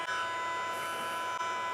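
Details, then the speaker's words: Mercedes A/B-Class CVT transmission control unit on a test bench during repair: steady high electrical whine with faint pulsing and dips as the electronics drive the valves with a base modulation; normal solenoid valve hum, inaudible in the car. "A szelepeknek a hangját halljuk. Van egy alapmoduláció, amivel az elektronika elkezdi kivezérelni ilyenkor a szelepeket."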